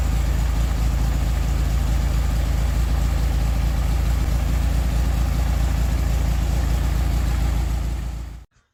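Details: 1969 VW Beetle air-cooled flat-four with Solex downdraft carburetor, after replacing bad condenser and modified coil: deep even thrum, about four pulses a second, no misses, then shut off; best since overhaul, healthy idle.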